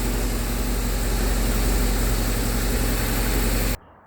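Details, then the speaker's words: 2009 BMW R1200R boxer twin just started after fuel pump replacement: even steady idle with smooth low pulse, no whistle or ticking; running cleanly. "let's start it up all right test let's see and the bike starts no whistling no noise sounds great"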